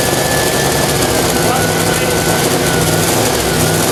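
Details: Freshly built AMC 304 V8 in a 1979 AMC AMX, cranked for break-in. The carburettor was over-fueling and its power valve looked funny. Steady, labouring crank with no sign of catching or firing. The engine is flooded and won't start.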